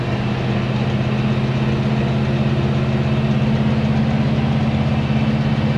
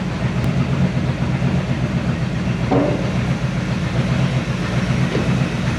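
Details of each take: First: 1970 Chevy C10 with a 327 small block and HEI distributor, after the distributor was reinstalled correctly, the cap and rotor renewed and a loose fitting tightened: a steady, smooth low V8 burble with no misses or pinging; normal idle. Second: 1970 Chevy C10 with 327 small block and HEI distributor, starts hard when hot: lumpy uneven idle with unsteady pulse and stumbles, stinky and noisy; rough running from distributor installed wrong, ignition timing off, cap and rotor junk.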